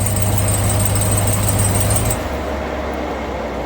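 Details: Ram 1500 TRX supercharged Hellcat engine at idle, heard from underneath the truck: a faint high "Hellcat squeak" over a loud cooling fan; an exhaust leak is suspected but the cause is unconfirmed.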